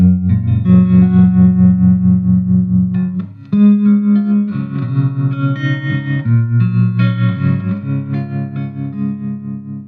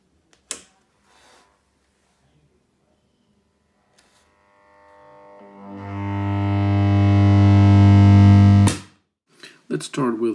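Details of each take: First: 1963 Fender Princeton Brownface 6G2 tube amp after hum repair and full restoration, played through an old 10-inch Utah speaker replacing the original Oxford: clean chords and single notes, quiet and hum-free between notes; normal amplifier tone. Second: 1963 Fender Princeton Brownface 6G2 tube amp on first switch-on, fed through a badly deteriorated 220-to-110 V step-down transformer with brittle insulation: a loud, steady low hum swells over seconds and holds with a buzzy edge; horrific mains hum.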